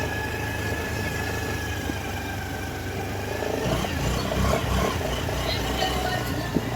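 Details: Honda Activa BS6 CNG scooter after repair of a strange gear noise from the rear wheel: engine runs smoothly with an even hum, no grinding or whine from the rear drive.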